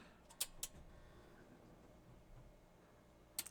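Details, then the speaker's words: Carver M500t amplifier powered up after repair with new transistors, meter on a 74 volt rail reading 78 volts: two crisp relay clicks a quarter second apart, another a few seconds later; protect relay engaging normally. "wow the protect relay kicked in great and as you can see we have 78 volts"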